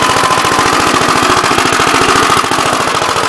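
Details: "Big Blue" 53 L single-cylinder engine after a plate patch on the cylinder, outside on a windy 24-degree morning: quick, steady popping exhaust beat with no misses or knocks, running strong. It now has oil pressure, but the oil pump leak is to get RTV.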